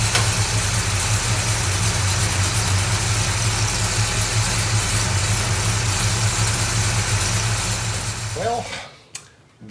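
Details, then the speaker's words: 1969 Dodge Charger after fixing its ignition/spark problem: a steady, even run with a smooth low rumble and no misses or knocks. The engine is firing and running normally. "was not the plan for the day but it's working and that's good"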